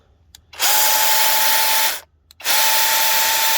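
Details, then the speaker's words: Cordless mini chainsaw on a 20V DeWalt battery, free-running with the chain oiled: two bursts of harsh buzzing with a steady high whine near 900 Hz, noise coming mainly from the motor, not the chain. "I guess that's the motor. Yeah, I'd say the motor's making most of that noise is on the motor."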